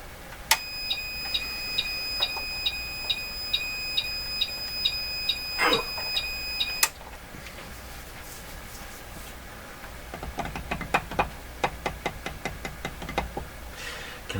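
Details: Bench power supply feeding a 1949 Buick Sonomatic car radio with vibrator installed: steady high beep about twice a second for six seconds as the load pulls the supply down; supply overload alarm, suspected defective vibrator, not confirmed.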